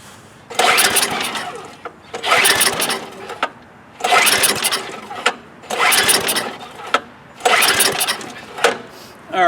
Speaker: so you could see it's not running all right why like I said 99 times out of 100 this is the number one reason why your snowblower won't start it sat all those months with old fuel gumming up the carburetor Main Jet